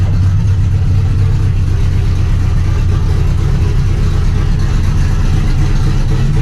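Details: Trans Am after replacing the corroded knock sensor with a new GM AC Delco part and a new harness, old code cleared: deep, even idle burble with no pinging or ticking; healthy, settled idle.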